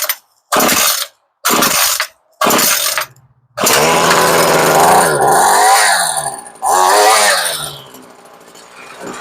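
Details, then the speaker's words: Homelite curved-shaft trimmer that sat with fuel, carb diaphragms suspected shot; fuel pumping confirmed, started on choke. Three cord pulls, then it catches and buzzes, revving cleanly; it later bogs on throttle (too lean) and needs carb adjustment. "about that you sound pretty good right off the bat"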